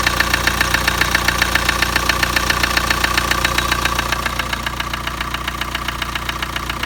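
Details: Kia Sportage: steady sharp knocking, about three to four raps a second, over the idle right from start-up; clear internal engine knock.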